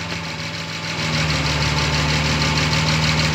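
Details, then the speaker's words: 1972 Jaguar E-type V12 at 1450 m altitude, not fully warmed up: even idle settles into a slightly slower, heavier beat when the vacuum advance line (fed from manifold vacuum) is disconnected. Timing retarded, idle speed drops. "you can hear the ancient speed dropped if I reconnect vacuum you can hear the engine sounds a little bit happier I'm disconnecting again you can hear the engine speed dropped that's because the timing is now more"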